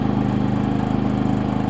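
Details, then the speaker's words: Harbor Freight 3500W inverter generator, eco throttle off, with about 30% load from a space heater on low: steady, even hum with a smooth regular beat, no misses or surging; running cleanly under load. "smooth right out so I is meant to be run with a load on it"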